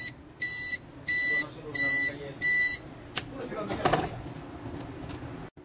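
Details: Epson LQ 690 dot-matrix printer turns on with all LEDs blinking and four sharp, even beeps about two-thirds of a second apart: an error alarm from a print head cable fault that must be replaced.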